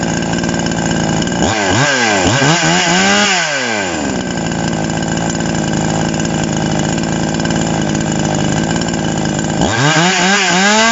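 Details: TOMITSU 5800-body chainsaw, sprocket version, no load during review: clean blips up to a high scream that fall back smoothly, with steady high revs between; normal, healthy running.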